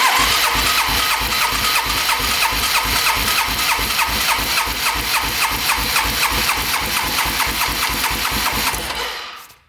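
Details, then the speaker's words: Long-stored rough 4x4 ATV, oil added to the cylinder, throttle open, compression about 160; even starter cranking at about three pulses a second with equal strokes, healthy compression; owner suspects the carb is the real fault. "let's crank it over a couple times just listen to it sounds pretty smooth in there"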